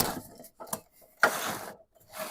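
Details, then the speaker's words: 1995 Toyota Camry, 265k miles, wheel hub with press-in bearing, spun by hand with the wheel off before replacement: short dry gritty rasping bursts instead of a smooth spin; worn wheel bearing, noise worse with wheel weight on it. "I can't show you how bad it was. It's a lot worse with the weight of the wheel on it. But you can just hear that it's bad."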